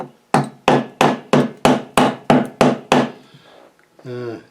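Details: Massey Ferguson GC2300 tractor fluid-filled wheel: hammer taps about three per second ring clear on solid steel but sound duller and thinner where rust has eaten the rim away, meaning not much metal is left. New rims are planned.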